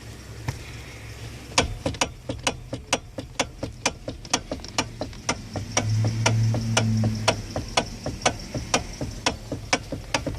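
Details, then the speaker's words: 2009 Hyundai Elantra at a quiet idle: crisp single clicks or clunks, about two a second, from inside the steering column as the wheel turns; oil is seen on the bolt joining the shaft to the electric power steering motor; the cause is unknown. "antra belongs to my daughter and uh just recently it started making some type of clicking or clunking noise coming from the steering column uh I'm pretty sure it's coming from the inside"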